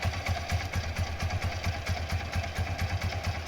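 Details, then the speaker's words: Karizma motorcycle after full pin-to-pin restoration, previously non-running, recorded on phone: crisp, regular single-cylinder thump about five beats a second, no knock or rattle; normal healthy idle, said to sound like factory beat. "ఓకేనా, ఇక్కడ మనం ఫోన్లో వినేటప్పుడు ఏంటంటే కొద్దిగా noise ఎక్కువ తీసుకుంటుంది. మనం డైరెక్ట్గా బండి కానీ వింటే కంపెనీ బీటింగ్ అనేది ఎలా ఉంటుందో అలా ఉంటుంది బండి, ఎలాంటి చేంజెస్ ఉంటుంది."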